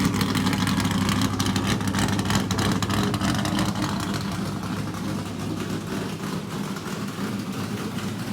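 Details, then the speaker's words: Richard Petty race car, Pontiac-headed small-block Chevrolet V8, first run in a long time after priming new fuel system: loud, choppy, steady lope firing evenly; good oil pressure, running normally. "well that's the first time this thing has run in a long time we did Crank It Up off the car just you know a couple of weeks ago but uh that's pretty cool"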